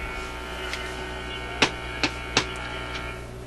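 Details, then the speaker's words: Zenith Y825 vacuum tube AM/FM radio on restricted power near 120 V. A steady low droning hum with sharp clicks under some radio reception; the set hums loudly after six months on a shelf, cause not yet found. "She's a Hummer. At least we're getting some radio action out of it. I have to figure out what the hum is on it."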